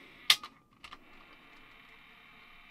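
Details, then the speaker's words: 1986 Sanyo MGR61 radio cassette player, unused for a long time, first tested with fresh batteries: the button clacks, then a thin, even whirr as the tape rewinds, a little noisy. Its drive belt was found wobbly, with slow playback. "little bit noisy but hasn't been used for a long time we'll forgive it that"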